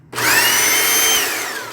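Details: Steady high-pitched motor whine as the repaired K2 Basic washer spins up after the switch fix, holding even before easing off; the motor runs normally.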